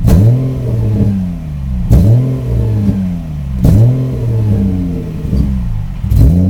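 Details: EG33 swapped into a 1994 Subaru Impreza, throttle held around half: revs surge and sag roughly every two seconds, rough uneven pickup like it isn't firing on all cylinders; intermittent power loss cold or warm, no check engine light, cause unknown.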